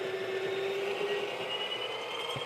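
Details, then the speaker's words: Breville Barista Express/Pro espresso machine built-in grinder: steady high motor whine, pitch rising at end of grind cycle as beans run out, which is normal. "okay you hear that in the end of grind cycle you're going to hear you're going to hear the like you know whining noise that's the when I like to tap it which means I'm going to get the all the coffee WIS out"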